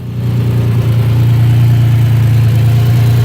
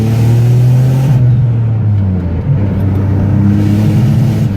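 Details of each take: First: Turbocharged Nissan Maxima idling cold before warm-up, after many upgrades and new coils, air-fuel ratio at idle possibly needing adjustment: steady, low, even idle hum, running smoothly and quieter than before. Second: Turbo Nissan Maxima with AEM and MAP hooked up, hard pull: low engine drone climbing, then the note stalls and won't rise past mid revs. Power loss at high rpm in third gear, held second.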